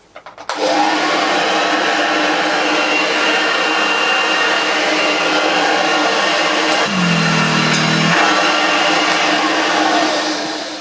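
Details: Restored Hoover Junior Dirtsearcher 1354A upright vacuum, belt refitted to spindle; loud, smooth, even whine from switch-on with no knocks or rattles, motor runs healthily.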